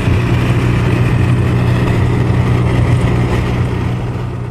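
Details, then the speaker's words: Winnebago LeSharo (Renault-based van) cruising after taping over the front window's lip, which had caught air and resonated: steady low road rumble with no whistle or rushing at the front windows; a quiet ride after the fix. "that little thing right there just covering the lip the front edge of the window made all the difference in the world on both sides the ride was so much quieter"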